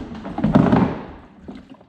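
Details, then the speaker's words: Hull of a Kawasaki 750 SS jetski being stripped: a dull thunk, then a wet slosh and trickle as the seat is lifted; the seat is full of water, to be drained by drilling. "there's there's water in the seat let me do it again this thing is full of water so this thing is this thing weighs quite a bit right now"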